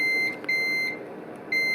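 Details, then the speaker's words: GE refrigerator that won't cool while the freezer works: multimeter continuity test on the defrost system switch gives a clear steady high beep that drops out and returns, so the switch is closed and working fine. "so that switch is working fine"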